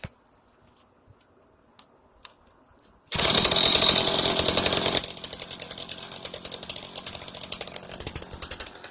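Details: Echo heavy-duty two-stroke weed eater that wouldn't start, after parts were removed and reconnected: quiet, then it catches and revs to a raspy high buzz and keeps running on its own. Now running properly.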